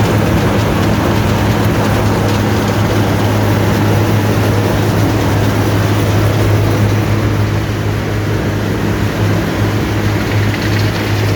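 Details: Allis-Chalmers Gleaner EA combine separation unit run for final checks before the threshing unit is refitted: steady even low drone with constant deep hum, no knocks or rattles; not much noise, running normally.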